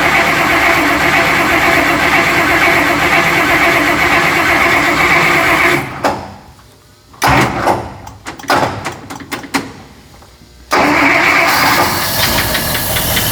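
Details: 1955 Buick Special that sat unknown years, with carburetor and brake master being rebuilt and wet points: it runs, drops into a few seconds of cranking and sputters, then catches and settles into a steady idle. It is still lazy off idle and dislikes throttle.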